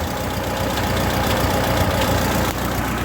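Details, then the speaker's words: Ford 2N tractor engine, hot after about 15 minutes driving; uneven low idle with irregular exhaust pops and spits about three or four a second, running rough; timing and carburetor need setting; clutch out of adjustment, hot oil pressure good. "you can hear all the farting and popping from the exhaust it just needs some tuning on it the timing and the carburetor need to be set properly"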